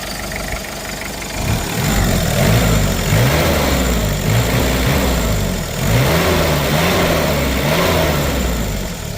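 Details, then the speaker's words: 1996 Mitsubishi Strada pickup, 2.5 turbo diesel with a 12 mm injection pump, revved a few times. Diesel clatter climbs and settles smoothly with no miss or knock, no smoke and no blow-by; tight, healthy engine. Normal diesel revving. "นะครับนี่กระบะเนี่ยเวลาขายมันต้องแบบนี้นะฮะไม่ไอไม่ดันเลยนะครับแน่นๆเลยนะครับ"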